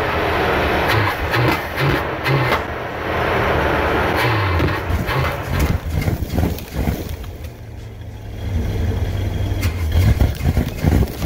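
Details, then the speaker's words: 1974 Dodge Winnie Wagon B300 van, fed from a boat tank to test the fuel pump, with oil previously dumped in the cylinders. It cranks, catches and settles into an uneven, lumpy idle with clatter, smoking off the oil. Engine starts and idles. "me yes sir winie wagon is idling making some noise yes sir she is smoking cleaning out all that oil I dumped in the the cylinders"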